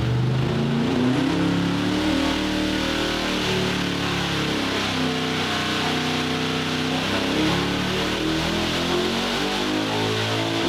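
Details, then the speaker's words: 903 cu in Hemi on the dyno, no boost, 26° ignition timing: full-load pull, pitch climbing then holding with a strong, even note and no misfire; 973 vs previous 897 at 6,500 rpm, better everywhere than with the wrong camshaft. "It was it is 973 now. It was 897. So we're definitely way better. It's way better everywhere here."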